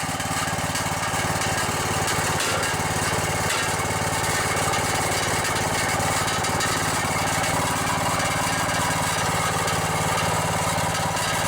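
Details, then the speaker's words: Briggs & Stratton Intech 14.5 OHV single-cylinder engine swapped into an old Murray riding mower, running steady with a loose metallic rattle over the exhaust beat from the muffler; otherwise sounds good. "The muffler's rattling a little bit. Yeah, that rattle is the muffler."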